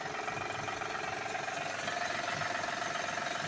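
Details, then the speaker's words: Van idling with loosely regular tapping, two or three per second, from the engine bay; owner later points to a screw holding the belt and a broken cover, cause unconfirmed. "so we're back as you can hear see if you can hear that knocking noise"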